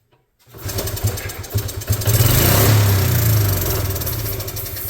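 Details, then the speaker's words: 1986 Honda TRX70 first start, coil tested good, mud found in the ignition connection: small engine catches and revs unevenly with a stumbling beat around three pulses a second; runs poorly, carb to be cleaned next, cause unconfirmed. "Regardless, for now it does run. Not well."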